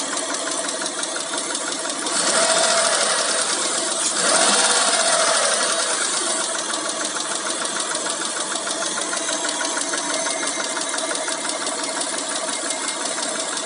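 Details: Mitsubishi Montero Sport with 6G72 V6: fast, light ticking about three per second over a steady running engine, hydraulic lifter tapping.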